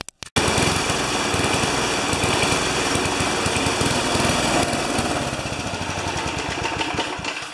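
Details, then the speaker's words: Older Briggs & Stratton mower after tightening the loose engine mounting bolts in the frame: quick pull, then a steady, even buzzing run with no knock or rattle; normal running, though blades are possibly off balance from cutting small trees. "both mowers had loose mounting bolts into the frames another not knocking anymore"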